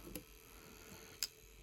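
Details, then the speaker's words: Dualit 4-slice toaster switched off at the switch, timer left to count down by itself: faint light ticks about a second apart in a quiet room. Clockwork timer counting down normally. "The light extinguishes 2 to 4 and this will just count down by itself."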